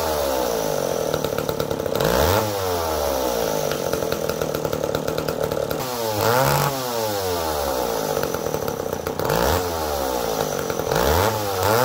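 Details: McCulloch Pro Mac 1010 two-stroke chainsaw that had been smoking badly, test run after a carburetor setting (it was likely running rich): revs up and drops back in uneven sweeps, never settling cleanly; still rough, maybe fixed.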